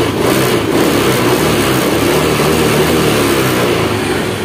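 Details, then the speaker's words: Honda Scoopy ESP fuel-injected scooter after replacing clogged fuel pump filter revs up cleanly and holds an even, steady note, fuel pressure gauge needle steady, starting on first kick. "Sip tarikan l enak bos nah ya W enak ya"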